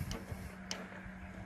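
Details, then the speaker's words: Pool heat pump not starting, water flow switch tested by pressing its paddle to simulate water flow: two crisp, separate clicks over a low steady hum; flow switch actuating normally, letting heat pump run. "cette langue est là à va aller dans l'eau et lorsque l'on va passer la langue est et va faire clic ok donc elle va autoriser la pompe à chaleur a fonctionné"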